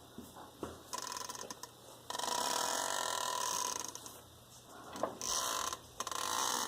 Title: 2007 Grand Cherokee WK New Defective Driveshaft Creaking Sound